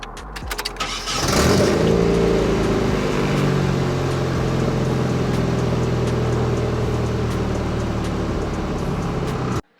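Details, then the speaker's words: Nissan 240SX S13 KA24DE after rebuilt injectors and cleaning MAF connections, previously cranking but not staying running; cranks and catches at once, settles into fairly steady fast idle without stumble; owner suspects a bad MAP sensor connection. "It started up right away, that's why. Like, I barely turned and that shit motherfucker turned on."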